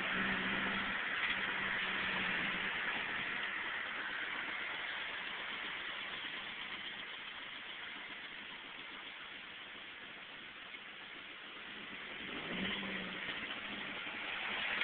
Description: 2001 Chevy Cavalier Supercharged with a really bad lifter tick